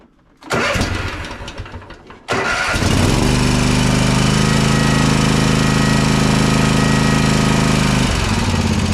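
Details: Toro TimeCutter SS5000 zero-turn mower V-twin after repair of a non-firing left cylinder (was bogging, losing power, dying with PTO engaged): cranks briefly, catches, settles into smooth even idle with no misfire, some smoke burning off; normal running.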